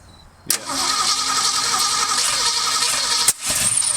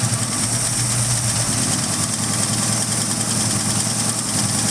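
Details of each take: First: Ford Mustang engine, freshly unseized with Marvel Mystery Oil, started with a wired trigger and a little gas: catches with a sharp crack, runs ragged, then loud pop and briefly catches fire; backfire suspected from engine running slow or ignition timing out, not confirmed. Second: Ford Mustang V8, freshly unseized, burning off Marvel Mystery Oil: steady lumpy idle with even beat, no knocks or misfires; runs healthy.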